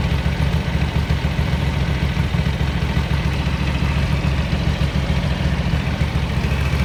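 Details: 1983 Ducati MHR bevel-drive twin, 40mm Dellorto carburettors after vacuum-gauge balancing: deep, steady idle thumping three to four beats a second, even and unwavering; carbs nicely balanced.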